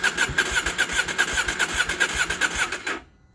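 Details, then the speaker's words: KTM 790 Adventure after a MAP sensor replacement and boosterplug removal; it started once, then the starter cranks evenly for about three seconds without catching: crank no start. "it's not starting oh my god all right so what i'm going to do now to try to start it i'm going to roll the throttle"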